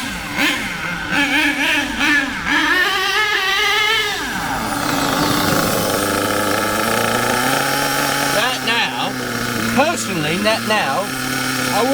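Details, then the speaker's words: HPI K4.6 nitro engine in a Savage 21 monster truck after low-end and high-end needle tuning, driven but not flat out: high buzzy engine revs up and down smoothly, picks up crisply without bogging; mixture judged about right. "go any further with that low end and I wouldn't go any further with the high end I reckon now that is running M according to what I think"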